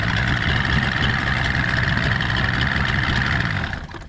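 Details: Stock 49 cubic inch outboard on a restored 13 ft Delta T850 race boat at its first water test: crisp, even burble at fast idle, steady until keyed off and dying cleanly.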